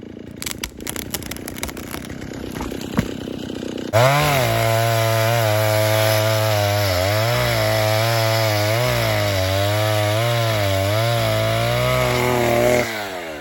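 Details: 1960s Stihl 08S chainsaw, about 60 cc, cutting firewood after richening high jet further: snarls at full throttle but pitch keeps sagging and wavering in the cut, bogging; over-rich high jet, adjustment turned back.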